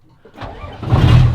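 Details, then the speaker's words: Starter cranks briefly on a 1992 Hino GS truck, then the diesel catches at once with no hesitation and climbs smoothly to a steady rumble; a clean normal start. "Hey! Straight up. Starts up, no hesitation."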